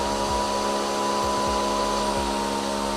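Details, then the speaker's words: DRYFT floor scrubber-dryer after replacing the tank seal: with the tank on and suction running, a steady firm high motor whine whose pitch changes properly, with no air hiss; seal holding, normal suction. "Now, if we put the tank on and turn the suction on, you can hear the change in the motor,"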